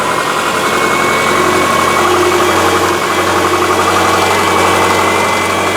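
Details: Subaru after repair of a broken timing belt that had bent the valves (heads reconditioned), warming up after about 15 minutes of running: smooth, even idle with a steady low hum, no knocks, ticks or misses; healthy.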